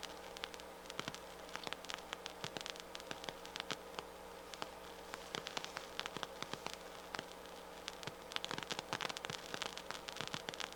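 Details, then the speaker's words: Harman Kardon 730 receiver, right channel, microphone clipped to the speaker: constant hiss with irregular sharp crackles and pops that worsen as it warms up, though music still plays fine; suspected failing transistor, power supply or power amplifier problem. "you hear it's really going to town now funny enough it still plays music fine to that channel sounds great"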